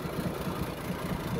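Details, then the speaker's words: 1937 Plymouth Coupe, original six-cylinder, idling warm with the hood open; distributor and vacuum advance worked on, original generator and starter. Soft, even low pulsing that purrs along with no misses or knocks; normal idle. "original starter uh it just runs right away really nice"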